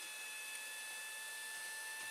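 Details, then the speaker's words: Small 12 V cooling fan added to an overheating WD MyCloud, running on cushion mounts with the cover off. Constant thin whine with steady high tones; it may quiet down once covered, and replacement with a quieter fan is planned. "going in there you can hear the noise now one problem with this is which is top much important this does have some cushion feed on i can hear the noise level it might go down a bit when i put it back in and put the cover on"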